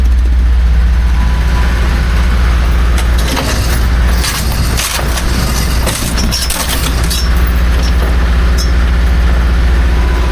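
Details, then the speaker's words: 1976 BMW 2002 (automatic), first start in years after restoration, no coolant in it: steady even hum at raised idle, no knocks or misses; owner suspects many vacuum leaks cause the high idle. "Lots of vacuum leaks everywhere you look, so that's why it's running so high."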